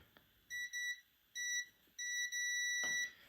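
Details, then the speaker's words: Fat PS2 laser-sled limit switch, tested with a continuity meter at its solder points after the laser kept grinding past it: clean high beeps in four bursts as the contacts close; the switch conducts and works. "as you can hear this switch is working this switch is working"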